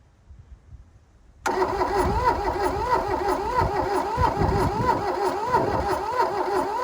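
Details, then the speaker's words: 1982 VW Rabbit diesel Caddy pickup, sat 20 years in a junkyard, cranking with glow plugs: slow, steady cranking beat with no firing; no fuel from the return line; won't start. "damn it's trying i don't really have any fuel coming out of the return line though that's a bit dismaying"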